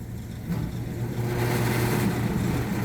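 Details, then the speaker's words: Worn rooftop kitchen exhaust fan: uneven knocking rattle three to four times a second over the fan hum, from a loose blower pulley slapping its shaft; it ran fine with the belt off, though dry bearings were first suspected. "it sounds horrible, honestly. I pulled the belt off and ran it. It runs fine. It sounds like the bearings are dry."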